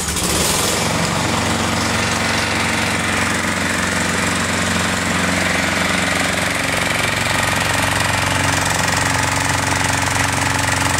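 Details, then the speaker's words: Lawn mower after pre-season service with new spark plug and air filter and sharpened blade: steady, rapid putter at constant speed with no cutting out or hunting, running smoothly. "kucharka bardzo ładnie pracuje nie przerywa i tak naprawdę zakończona sukcesem"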